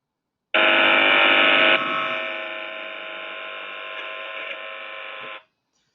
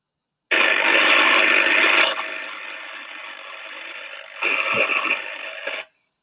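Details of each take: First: Partial discharge monitoring, sound picked up inside a chamber: a steady, even electrical buzz with no crackle or popping, classified by the algorithm as noise at 21 dB, not partial discharge. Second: so that one there is from a discharging defect and we can hear the crackling and the arcing and sparking going on so the algorithm is classified as a pd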